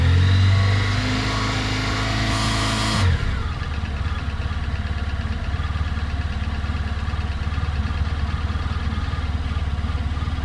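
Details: 2018 Honda Crosstourer at 1000 km: after a rev drops back to idle, a fast steady ticking knock of about three to four per second rides over the idle; cause unclear.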